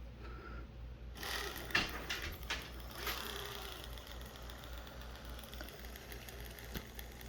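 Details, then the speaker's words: 1/10 scale RC crawler drivetrain run on the bench: whirring with scattered light clicks and a faint rub; belt ruled out, transfer case problem suspected, not confirmed. "that sounds like it's clicking on what's rubbing here"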